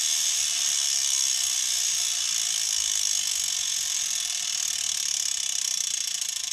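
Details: Bontrager Aeolus Pro 3V wheel with DT Swiss internals on 2022 Trek Domane SLR7; fast, even high-pitched ticking from rear hub while coasting, crisp ratchet buzz; normal freehub clicking.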